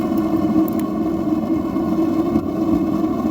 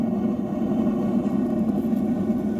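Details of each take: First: Atwood RV water heater LP burner with the adjustable air shutter opened too far: steady loud rushing roar with a low hum, no pulsing, too much primary air. Closing it down gives a quieter blue flame. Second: Atwood RV water heater, direct spark propane burner, after air shutter adjustment; steady even propane roar without popping or sputtering, clean blue flame.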